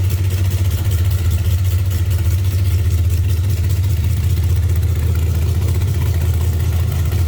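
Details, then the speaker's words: 1931 Ford Model A Tudor sedan street rod running: deep, steady low rumble with an even loping beat, no knocks or squeals; normal, healthy engine. "It's going to turn some heads too when they hear it. We're going to fire it up here at the end of the video. You'll be able to hear it too. It's got a rumble to it."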